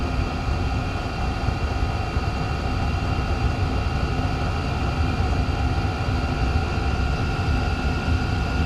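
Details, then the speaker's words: Chinese diesel air heater restarting with its cover back on: steady, even fan roar with a faint whine at full speed right away instead of building gradually; the fan goes to high too soon, and its sensor reads 25 °C while the room is 13.5 °C. "Sounds like it's gonna start this time. Fan kicks on to high way too soon. I think it's going to keep going anyway, but"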